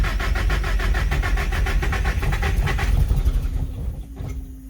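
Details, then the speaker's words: Nissan SR engine after rebuild with new rod and main bearings, low oil pressure shown: steady cranking at about four strokes a second with no firing; ignition timing suspected far out, possibly cam 180 degrees off. "i wonder if my timing is off one more time yep definitely sounds like the timing itself"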